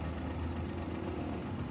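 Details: Mazda-badged Suzuki Every (Japanese, 2012), check engine light with code P0303, cylinder 3 misfiring; uneven, lumpy idle with a stumbling low beat as the cylinder 3 ignition coil is unplugged, engine light blinking.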